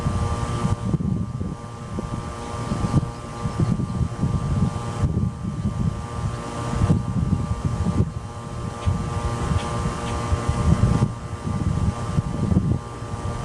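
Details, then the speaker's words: 1995 Tempstar 5000 central AC with a Copeland reciprocating compressor, first startup of 2024 in its 29th season, 87°F outside. A low hum and fan whoosh settle into an even run with no clanks or rattles. Compressor running normally. "all right she's running"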